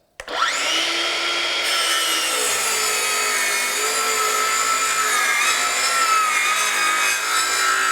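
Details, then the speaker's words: Craftsman V20 brushless 7-1/4" circular saw CMCS550B, second full-depth cut in treated lumber, battery warm at 2 bars: spins up to a high steady whine, then long rasping cut with pitch sagging as the plugged dust port slows it; blade heating. "So again, the amount of dust from that dust port plugging up in this full cut and treated lumber slowed me down at about right here."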